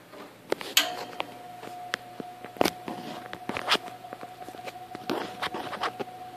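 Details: 1958 General Electric twin window/box fan, restored from trash, single long bearing motor, spinning up to speed: steady mid-pitched whistle over a low hum with handling clicks; normal resonating motor winding whistle typical of these GE fans.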